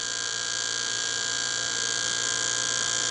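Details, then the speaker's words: Small fischertechnik motor driven from a Raspberry Pi through a transistor with hardware PWM and new Python code: steady high-pitched whine with fixed tones and no speed change; PWM speed control seems unresponsive, cause unconfirmed, code or wiring suspected. "can hear the motor. I guess I need something else, but I have to find out how to apply this code so that it does work, or I need to change the electric."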